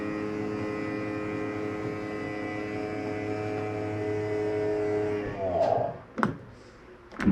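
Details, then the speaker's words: 2017 Keystone Cougar 337FLS fifth wheel slide-out retracting: even electric motor whine for about five seconds, then clunks as the slide seats at its stop. Sounds normal. "I did want you to hear that noise one that's just a slide mechanism telling itself not to come in any further so it makes a little grindy noise"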